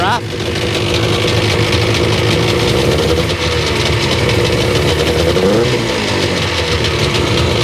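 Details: 2001 Sea-Doo GTX RFI 787 two-stroke on a flush hose, suspected fuel delivery issue: buzzing idle with a slightly uneven, lumpy beat and steady drone, heavy smoke and oil coming out. Rough idle.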